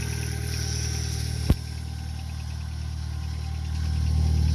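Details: Neon after its clicking no-start was traced to a bad positive battery terminal connection. One sharp click, then a smooth even idle with no misses. Normal idle.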